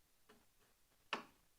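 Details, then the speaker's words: 1982 Chevy S-10 pickup after swapping in a 3.4 L V6, battery just hooked up with the fuel pump fuse removed, testing turn signals: light ticks in a quiet cab with one crisp click; the flasher relay is clicking normally. "All right, we might have turn signals. It's making the noise. Is it blinking? Yes, it is."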